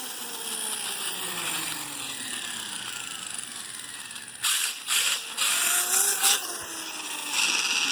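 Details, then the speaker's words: Kraton V4 electric RC car driving: electric whine with sharp crackling bursts about twice a second, worse in reverse; drivetrain cracking, cause not yet found. "Hear that cracking? The cracking. Definitely makes it more when I reverse it."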